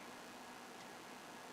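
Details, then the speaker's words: New recreation Amiga 3000 power supply enclosure, first power-on after assembly: front and back fans spin the correct direction with a quiet even airy whir, no ticking, rattle or wobble; fans running normally. "front and back fans are spinning correct direction we have some lights on the inside"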